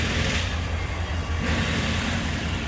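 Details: Old truck that used to stall without the gas pedal held, after cleaning a clogged throttle body and a dirty IAC motor and resetting with a DRB scan tool. With the throttle released, a steady, even low idle rumble with no hunting. Normal idle.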